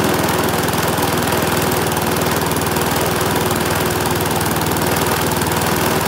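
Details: Briggs and Stratton single-cylinder mower engine, serviced after oil starvation or neglect, runs at a steady fast pace with even firing, no misses or knocks; sounds healthy.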